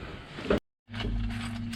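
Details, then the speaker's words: Morris Minor SU electric fuel pump after cleaning the points, key on, engine off: a couple of crisp ticks over a steady low hum; pump clicking and working normally. "so let's see whether we've got a clicking fuel pump bounce up there so i'm gonna key in yes i really hope you can hear that that's my fuel pump"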